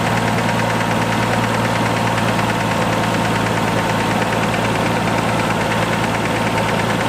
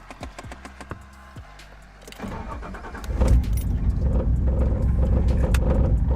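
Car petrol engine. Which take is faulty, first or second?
second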